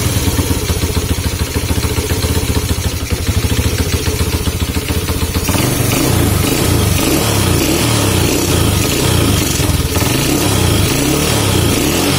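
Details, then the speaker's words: Honda C70 motorcycle with dusty, unserviced carburetor, piston crown flattened and cut down about 0.2: revving and idling with a rapid irregular knocking clatter that follows engine speed, still present under throttle; knock source still not found. "So aku masih sebenarnya kan Aku tak jumpa lagi tau masalah dia knocking tu. Tak dapat dikesan knocking dekat m"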